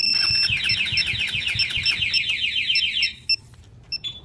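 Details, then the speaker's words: Suzuki Raider 150 FI motorcycle with Yamaha two-way alarm armed: ignition tampering sets off fast warbling siren then short chirps; engine immobilized and won't start. "So yan. Mag-iingay mga sir, tapos hindi mapapaandar."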